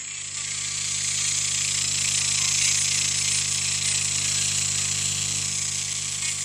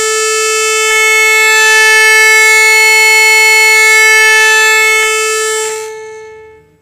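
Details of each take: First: Orion R545A valve radio chassis under repair, ECH81 tube: loud, even hiss over a steady low hum with the station barely audible; very weak reception from a suspected circuit interruption between the antenna input and the rest of the circuitry. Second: Orion R545A radio chassis, low-frequency signal injected into the amplification circuit: loud, steady pure tone for about six seconds, then cuts off cleanly; amplifier stage healthy, fault lies in the high-frequency circuitry.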